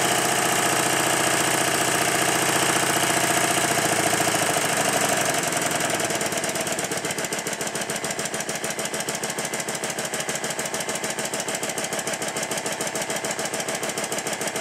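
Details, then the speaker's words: Stuart triple expansion model engine with high-pressure exhaust linked to intermediate cylinder inlet: even, regular chuffing about three and a half beats a second settling steady; runs smoothly, improved thanks to carefully timed intermediate valves. "in this next clip the engine is running much better because I've connected the first of the link pipes exhaust from The High Press cylinder to the inlet of the intermediate pressure cylinder"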